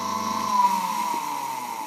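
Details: ZCPW400 submersible drainage pump that hummed without pumping and only started with a push, after its capacitor was replaced: a steady, even motor hum with a clear whine and no grinding or stalling. The pump starts and runs normally.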